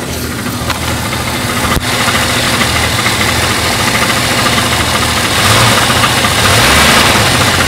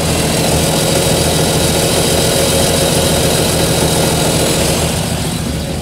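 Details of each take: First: Jeep Cherokee engine at idle: fast rattling knock over a busy idle, ticking with engine speed; loose flexplate (ring gear) bolts. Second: 1993–98 Jeep Cherokee after repair of a noise at the toothed ring gear: a steady, even idle with a smooth low beat and no ticking or knocking. Normal idle.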